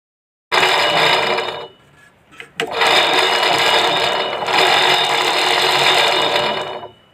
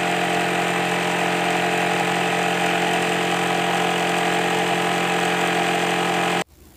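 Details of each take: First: Sewing machine running in two fast bursts with a loud, harsh, high-pitched clatter, far noisier than a normal hum; excessive running noise, later brought back to normal, cause not stated. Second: Sewing machine after its excess noise was fixed: steady even mechanical whir at constant speed with no knocking or clatter until it stops; running smoothly and quietly.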